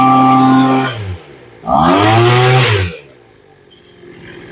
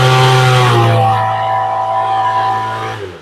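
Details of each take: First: Small two-stroke engine being tuned with the carb adjustment screws. It revs up and settles back smoothly, with the pitch rising and falling evenly with the throttle. The carb seems well set. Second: Small two-stroke engine with rebuilt carburettor during tuning, held at wide-open throttle: steady buzzing drone with a faint stutter and little pop before dropping off, meaning too much fuel at the high end; running rich.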